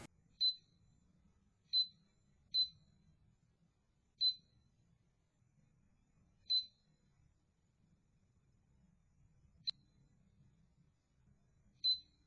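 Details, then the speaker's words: Winchester TS20-30 gun safe pinpad, bought 2022, draining its battery monthly: single sharp high beeps at random intervals with nobody touching it, the keypad pressing its own buttons and sometimes locking itself out. Owner added a power switch as workaround; proper fix is pinpad replacement. "heard it just randomly beeping I thought it was a low battery but it turns out after recording it with a security camera that it was just pressing its own buttons randomly sometimes it would even press so many buttons that it would lock itself out"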